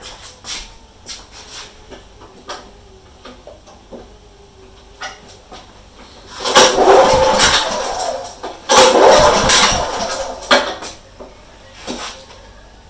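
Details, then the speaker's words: Old Honda HRU196 mower, fuel tap on, after a fuel leak, stalling and refusing to restart: repeated pull-cord cranking with no attempt to fire. Owner suspects carburetor overflow or flooding; cause not confirmed. "there's no attempt here to start up when I pull that cord and usually you'll have a attempt to fire but this is not showing any of that"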